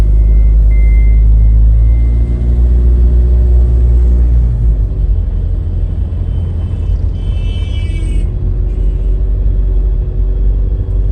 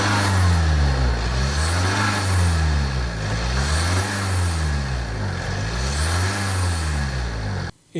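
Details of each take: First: Tata diesel SUV, 83,000 km, before injector cleaning and oil change, driving: loud coarse low rumble and clatter rising with throttle; very noisy engine, worn, possibly starting to consume oil. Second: Tata diesel SUV idling after Liqui Moly Diesel Purge injector cleaning; deep, even idle with slow rise and fall in hum, no injector tick, earlier noise gone; normal healthy diesel idle.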